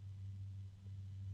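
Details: JMC 1225-12 HB-A 120mm 3-pin fan, rated 2400 RPM and held by hand: a steady low motor hum under the airflow that never wavers; cause unclear.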